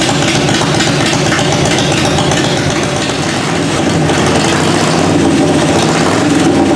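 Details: 1994 Harley-Davidson FLHTCU after carburetor rebuild, on choke in neutral, cold shop around 45–50°F, no mufflers so loud: open-pipe V-twin lopes at uneven potato-beat choke idle, keeps running; slight backfire attributed to not being fully warmed up; normal idle.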